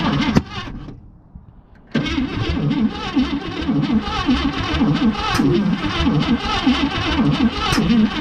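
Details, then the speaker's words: 1959 AMC Rambler Ambassador, 327 V8 parked 39 years, with new plugs and wires, a replaced rat-chewed coil ground wire and starting fluid: steady cranking with uneven firing bursts that never catch; timing suspected. Cranks but won't start. "yeah something's going on with the timing first i thought the distributor was rotating backwards it isn't"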